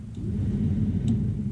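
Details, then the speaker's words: 1975 Chevy C10 with a swapped-in 1983-87 C10 climate control unit, blower fan on the orange wire (max/high speed): steady deep whoosh and hum, no rattle or scrape, blower spinning freely at full speed. "that's Max so orange is definitely our high speed"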